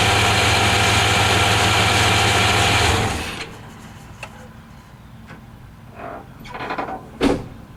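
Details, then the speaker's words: 1993 Chevy Silverado with hard-starting issues traced to the fuel pump relay. A steady, even idle for about three seconds before shutting off; the owner says it runs perfect once it fires up. Normal idle. "Thing runs perfect after it fires up. I have no issues at all with it running."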